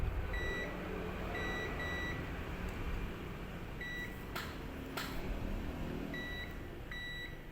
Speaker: Nah kalau satu kaki tidak berbunyi tidak BIP maka yang satu lagi berbunyi nah ini menandakan kapasitor ini ujung yang ini terhubung ke ke GR